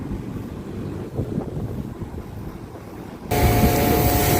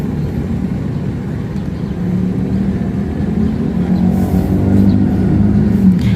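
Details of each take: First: Daikin Thailand air conditioner after a capacitor replacement: following wind buffeting, the unit starts into a steady, even hum; the compressor and fan are running normally again. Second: Daikin (Thailand) split A/C with a very slow fan and dry pipes, not cooling: low fan rumble with a faint steady hum from the compressor that grows louder; the compressor fails to start because of a failed capacitor.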